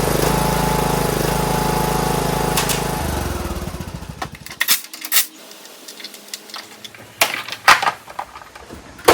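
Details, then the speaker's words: John Deere D105 lawn tractor Briggs engine after carburetor cleaning and hooking the spring back up: steady, even single-cylinder drone for about three seconds with no surging before shutoff, sounds way better. "Yeah, that sounds way better."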